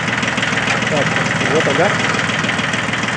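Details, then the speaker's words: Yanmar mini tractor (F13D/F15D, 13 hp) three-cylinder diesel, 4WD, about 700 hours, driving a soil tiller via the three-speed PTO, clutch engaging softly: steady even chug, no knocking or labouring, normal running under PTO load. "[аплодисменты] при закрутится отлично три скорости у нас идет три скорости на валу отбора мощности очень мягенько"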